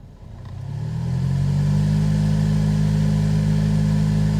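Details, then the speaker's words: Silverado cabin blower at full fan speed makes a loud, steady low hum over rushing air after AC repair; hum caused by debris in the blower wheel, found after pulling the cabin air filter. "makes that crazy humming sound. We're gonna figure out what is going on to cause that sound."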